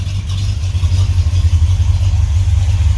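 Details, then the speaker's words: 1978 Ford F-150 V8 idling while warming up, tailpipes not fitted: deep, steady, even rumble with no top-end ticking, though exhaust may be loud. "No ticking up here. How good is that? Well, it sounds really good under the hood."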